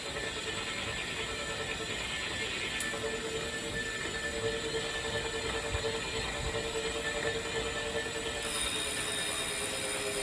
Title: Wahoo Kickr Core Grinding Noise